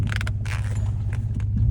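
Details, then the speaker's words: 2001 Dodge Dakota front suspension: short dry creaks and crackles in bursts over low engine drone while turning; also popped in reverse at full lock before; sway bar links replaced, noise much reduced. "And it used to pop and crack in reverse a little bit, too. When you'd go backwards. And have it cranked one way or the other."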